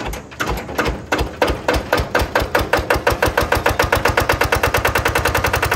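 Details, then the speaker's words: Lister diesel on Benford TS25 concrete buggy, first hand-crank start, in neutral with parking brake on: compression valve opened to spin it, then closed; thumps speed from slow cranking to an even beat near eight per second, runs cleanly. "So you push that all the way forward. And then you can actually spin the engine over. And once you get some RPMs in it, just close the valve and it starts."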